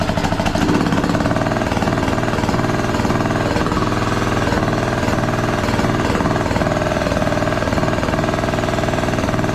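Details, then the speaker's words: Craftsman T1200 riding mower, single-cylinder engine running loud and uneven with lumpy beat about two per second and clatter, smoking; compression seems very high, hard on starter; owner suspects valves, cause unconfirmed. "it just seems crazy that it has that much compression it's got to be hard on that starter"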